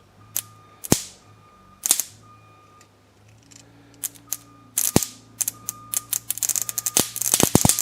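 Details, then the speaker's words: Ignition spark test on a carbureted Toyota Camry engine's distributor setup, coil lead touched to the positive booster cable: sharp, loud irregular snapping cracks bunching into rapid bursts, a strong, healthy ignition spark. "I'm getting spark out of this it is so actually powerful of a spark it's setting the lights off on stuff"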